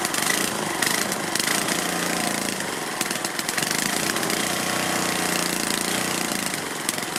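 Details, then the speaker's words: Cast-iron Tecumseh Lauson HH60 from a Troy-Bilt tiller, first start after rebuild for seized connecting rod, carburetor not cleaned; loud ragged uneven running with clattery top end and heavy smoke (possibly oil burning off), won't idle; carburetor cleaning planned. "well i don't like that it's smoking a lot although i think it might be just burning off oil oil on things and it won't idle but i'll clean the carburetor"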